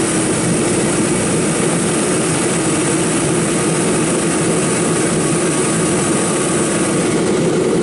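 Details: Kerosene torpedo heater, seven years old, after service for hard starting blamed on fuel left over winter: steady even roar with faint constant hum, no buzzing or rattle; pump now much quieter, running properly.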